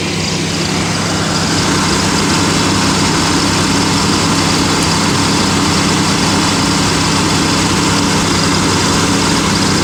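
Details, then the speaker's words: Pontiac Aztek with an unexplained overheating problem, idling with the radiator cooling fans commanded to high speed: loud steady rush of air, no surging, fans confirmed running on high. "okay so let's check the high-speed [Music] I can hear them running"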